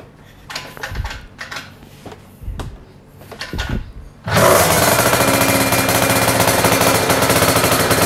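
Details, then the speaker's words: Honda Dio two-stroke scooter with Malossi block, 44 mm stroke, 90 mm rod: clanking, then fires at four seconds into a loud, harsh, buzzy two-stroke roar; noisy engine, owner suspects the single-ring piston is noisier. "Gila, gokil banget. Agak berisik kan suaranya di mesin."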